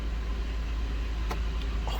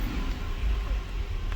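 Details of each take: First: 2007 Buick Lucerne with linear EGR valve wires jumped for a test, valve held closed: smooth even idle with no stumble or dips; opening the valve makes it stumble like a misfire; normal idle. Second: 2007 Buick Lucerne with a linear EGR valve commanded open at idle via jumped driver wires: a low, uneven idle that lurches and stumbles, almost misfire-like, and struggles on revving. Rough idle from the open EGR valve.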